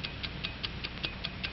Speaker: right the ticking of a watch an accurate watch takes five times each second